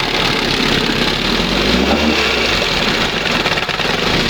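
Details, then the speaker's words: 1971 Johnson 20 hp two-stroke outboard after carburetor mixture and idle stop screw adjustment, throttle at first mark: busy, buzzy idle with a fairly even rhythm, no stumbling or sneezing; normal idle. "Wow. That's the best right there. Sounds much better. And it's down here, you know, it's idling."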